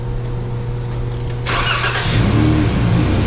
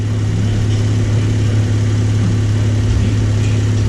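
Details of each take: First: 2012 Chrysler minivan that only starts with a jump pack, battery tests good; catches after cranking, stumbles and nearly dies before settling as the fuel pump doesn't run right away. Fuel pump relay in TIPM failing. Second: 2012 Chrysler minivan idling on temporary jumper-wire bypass of bad TIPM fuel pump relay: steady, even low hum with no knocks, misses or surging over four seconds; idles smoothly.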